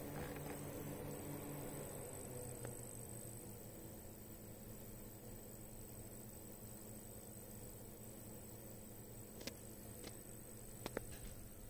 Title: Corsair HX850, squeaky, high frequency noise. Louder while under load.